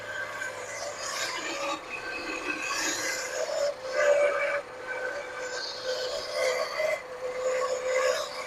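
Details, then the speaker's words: 1979 Lincoln Continental abandoned 32 years, first revival run at idle: harsh raspy grinding with thin squeal traced by listening through a tool to the smog pump bearing, not the alternator; fix is cutting the smog pump belt. "Yep, it's the smog pump. Tickled my eardrum. All right, let's shut it off. We're going to cut that smog pump belt."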